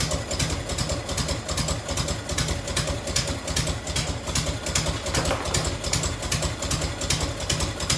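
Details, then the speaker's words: 1990 Harley-Davidson FLHTC Evo, cold start on choke: sharp steady tick about two to three a second over lumpy idle; exhaust leaking at a crooked clamp on the header, to be tightened or shimmed. "so an exhaust light right there on that clamp like it's hot quick though"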